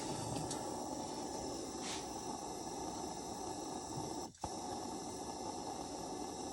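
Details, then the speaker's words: Restored 1950 Coleman 242C lantern burning: soft, steady hiss holding one even level with no sputter or surging; burner settling into a normal burn. "Oh, it sounds like it's starting to settle in a little bit."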